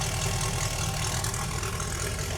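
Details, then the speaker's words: 1971 Datsun 240Z "Rotsun" turbo V8 just started, fuel pressure 7 once primed, not rising with revs: deep, even rumble holding steady and picking up cleanly without stumbling; revs freely, sounds healthy. "That revs pretty fast. Yeah, it didn't have fuel pressure till it fired up."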